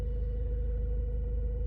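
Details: Hyundai i30 1.6 CRDi diesel: steady high-pitched whistle-like tone over engine rumble, heard behind dashboard, absent cold, appearing after 15 minutes of driving; faulty fuel filter housing at rear passenger-side engine bay, cured by replacing housing and filter.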